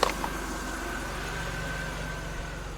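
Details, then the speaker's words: 2011 Chevrolet Impala started with a jump pack after sitting two months with a weak battery; quiet, even, smooth idle with a soft steady hum, no misses, knocks or ticking. Normal idle. "Oh, we're running. She's smooth as always."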